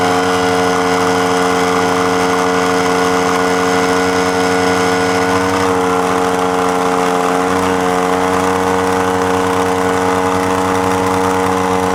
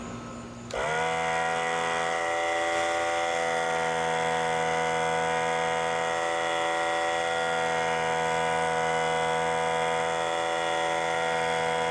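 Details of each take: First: Central Pneumatic 95275 oil-less 3-gallon 100 PSI pancake compressor running: steady buzzing drone with a slight tone shift partway, then winds down; the head O-ring has blown, burned up and destroyed; head gaskets later ordered. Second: Central Pneumatic 95275 oil-less 3-gallon 100 PSI pancake compressor after fitting two new 2.5 mm seals: motor starts with a jump, settles into a constant even buzzing drone, pumping properly and shutting itself off at pressure.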